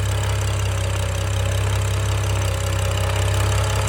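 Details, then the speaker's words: BMW F10 535i xDrive after full timing chain replacement, first start, no VANOS codes or check engine light, cold starts well; smooth, even idle, faint whirring possibly from new tight chains, otherwise no ticking or rattle; normal idle. "I get no VANOS codes. Everything's good. No check engine lights. Everything's solid. Started right up. Cold starts great."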